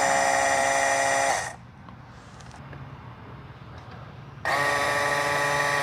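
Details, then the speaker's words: Boat outboard being readied for first start after reassembly, electric oil pump actuated to prime: steady buzz with high whine that runs, pauses briefly and restarts evenly; oil is delivered and the pump works normally. "we got oil so we know it's pumping oil now"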